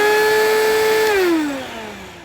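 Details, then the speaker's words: Bissell CleanView Helix 82H1 vacuum curb find, motor run for teardown: loud piercing steady screech that sags in pitch as the motor winds down; cause of failure unconfirmed. "yeah that probably blew your speakers out or headphones"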